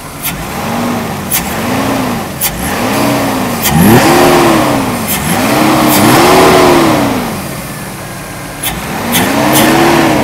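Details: 1991 Mercedes W124 300CE 24V after repair with a new air flow sensor, air conditioning on: repeated blips rising and falling smoothly with throttle, no misses or knocks; healthy acceleration response.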